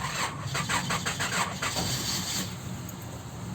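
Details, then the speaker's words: 2001 Honda Odyssey in hot weather; even starter churn about three pulses a second for over two seconds, engine turning over but not catching, suspected fuel issue: engine cranks but does not start. "customer called me here on a 2001 honda's odyssey uh so crank no start so we're gonna just uh verify the complaint"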